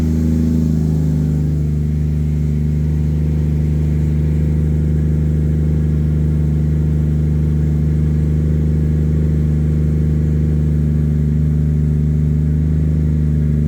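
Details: Normal idle: an 800hp 2JZ turbo Lexus IS300, wrecked in a front-end collision and sitting unused, started on a replacement battery with no coolant and was run only briefly. Settles into a smooth, deep, even idle with a steady low drone, no knocking or misfire; healthy.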